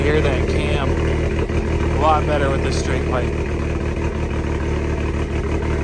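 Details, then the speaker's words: Dodge SRT-4 with a straight pipe exhaust, started after the rear end build: a deep, steady idle with a loud, slightly lumpy exhaust note and noticeable cam lope, heard better through the straight pipe. Normal idle. "Sounds so much better with that exhaust. It's just a straight plate."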